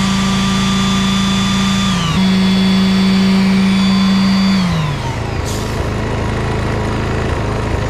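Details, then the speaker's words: Petrol generator, after service, running a wet tile saw drawing about 720 watts: engine drones steadily while the tool motor's whine starts, holds and winds down, carrying the load evenly. "okay this one's sort of like 500. oh 720 what [Music] 720 look good"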